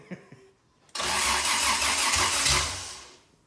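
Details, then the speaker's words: Toyota 2F engine after full rebuild, first start attempts, new starter, new carb: starter spins about two seconds at wide-open throttle with a couple of weak coughs that never catch; engine flooded. "alright so we give this thing a bit of a break the starter motor was getting kind of warm and hopefully the flooding is good kind of everything's subsided"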